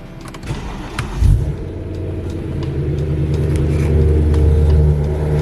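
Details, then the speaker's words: Post-repair first drive in an E90 BMW M3 after a new guibo and center carrier install and tightened loose exhaust/header bolts: clean start, then an even drone rising with road speed, no knock or shudder; the center-carrier vibration is gone, so it runs healthy. "All righty. First little drive. Vibration is gone, thank god. That was a pretty bad vibration from that center carrier."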